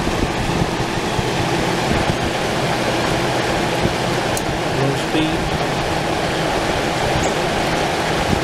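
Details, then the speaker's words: 1989 Crest (Fedders) 5000 BTU Carry Cool, first fan motor test after cleaning and oiling: steady, even whoosh with no rattle, scrape or pitch wobble; fan motor runs smoothly and healthily. "here's the first test of the fan motor since cleaning and oiling"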